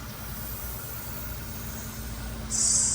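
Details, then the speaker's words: Diesel fuel system being bled after pumping the primer, with the bleed screw loosened by wrench then screwdriver. A short, sharp hiss of air purges from the bleed screw before diesel appears; bleeding air so the engine can safely run again. "hear that air purging out? Keep doing it here. Come on. Show me the diesel."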